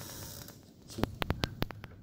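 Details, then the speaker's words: 2001 Ford Excursion rear backup sensors tested with the microphone held right up to a sensor: quiet, then fast sharp ticks about six a second; clicking sensor is working, non-clicking ones are bad. "see if you can hear the clicking it's sort of a click like click like click like that's what you're listening for"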